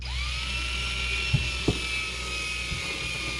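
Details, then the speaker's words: Cordless drill drilling holes for a boat main battery disconnect switch install: the motor whines to a steady high tone with a few knocks and doesn't pull hard, losing power; the drill battery is running out. "Sounds like I'm running out of juice, guys. I am running out of juice. Not good."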